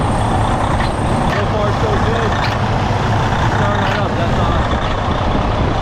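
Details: 2011 Freightliner Coronado DD15 diesel after fuel injector and harness replacement and priming fires right up into a deep, steady, even idle rumble with a few brief clicks; healthy idle.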